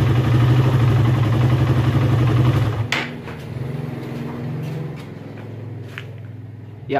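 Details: Suzuki Satria FU engine after fixing noisy cam chain: revs hard then drops to a steady, even idle with no top-end ticking or chain slap; sounds quiet and healthy.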